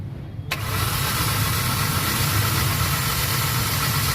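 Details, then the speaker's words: Hyundai Accent petrol engine started with check engine light blinking: rough, uneven idle with strong vibration and no power, misfire codes P0300/P0301/P0302 from no spark (coil suspected) on two cylinders. "Check engine. Nagbi-blink. Walang power ng makina. Tapos ah engine vibration ang lakas."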